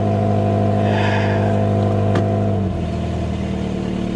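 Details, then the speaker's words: High-mileage vehicle (191,000 miles) with traction control and airbag lights on; the engine revs and settles with a raspy, puffing edge over the exhaust note, an exhaust leak suspected at the flex pipe leaking forward. "yeah it's definitely an exhaust leak sounds like it's a flex pipe that's leaking forward"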